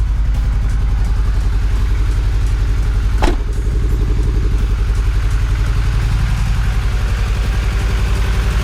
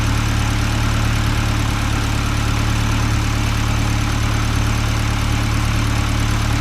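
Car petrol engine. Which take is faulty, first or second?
first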